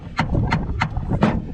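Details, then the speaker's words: 1999 Chevy Silverado 1500 Z71 4x4, NP246 transfer case: rear driveshaft rocked by hand gives sharp metallic clunks, about three a second, from a worn, loose rear U-joint, blamed for breaking the transfer case adapter; U-joint replaced. "So this is what's actually caused my transfer case adapter to break. You can hear that very specifically."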